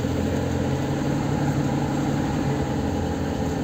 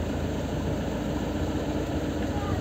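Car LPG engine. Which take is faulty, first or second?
first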